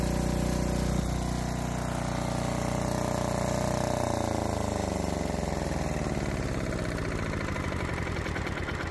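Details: Lombardini 15LD400 diesel generator, a barn find, started electrically on a reconditioned lawn-and-garden battery (13.7 V): short crank, catches at once, then a steady, even diesel chug with no misses; starts and runs fine.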